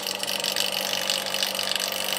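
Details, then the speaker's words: BMW N54 cylinder head after lapping all 24 valves and new stem seals, cylinder one vacuum tested: steady airy hiss of slight leakage past the valve, holding 92 vacuum (over 90 is fine); valve seals acceptably. "there we have it so cylinder one using that gasket i can hear it i can actually hear it weeping through we've come up with that 92 vacuum so i'm happy with that that valve is ceiling"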